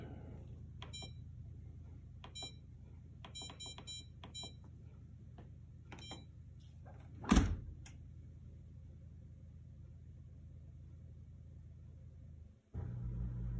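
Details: Maytag MDB8959SFH dishwasher after repair of the collapsing right-side start button (broken plastic support replaced with homemade wood support): a few short, crisp electronic beeps over low room hum; start button responds, control board working normally.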